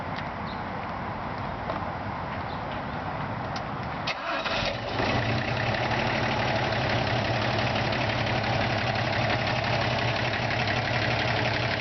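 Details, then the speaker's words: 1973 Toyota FJ55 Land Cruiser cranks about four seconds, fires cleanly and settles into a steady, even idle with a deep, unique exhaust note, after new parts, new alternator and repeated carburetor work. "Exhaust, it's got a really unique tone."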